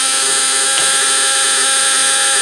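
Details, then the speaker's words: Elenco Snap Circuits project 590 (AC voltage with 3 V and 6 V lamps): steady, high buzz from the relay chattering very fast as the lamps and LEDs light. Normal operation. "and we can hear the relay buzzing away But now we have our 6-volt lamps coming on with it. And again, that's because our magnetic field is expanding and collapsing so quick that our 2 lamps come on just as quickly as our LEDs do there."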